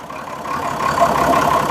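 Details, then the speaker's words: Perkins diesel in a homemade early-1970s RV on a 1966 GMC bus chassis, parked 30 years and last started 10 years ago, now idling steady and even with no misses, knocks or rattles; the engine sounds healthy. "I think so other than that dang that thing sounds good"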